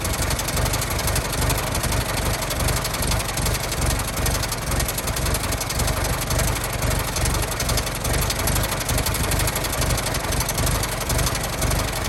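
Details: 1916 Federal Motors truck small four-cylinder, first run after 50-60 years, bottle-fed fuel, block not yet warm, no coolant as radiator leaks: slow low chuffing idle with loose, uneven beat, nothing alarming; normal idle.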